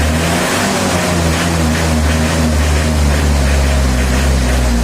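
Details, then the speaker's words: Isuzu Panther 2.3 diesel after tune-up syncing compression with injection pump settings: engine revs smoothly and evenly, the note rising and falling with the throttle, no knock or rattle; clear and healthy. "Nah, itu terdengar jernih dan bagus, teman-teman."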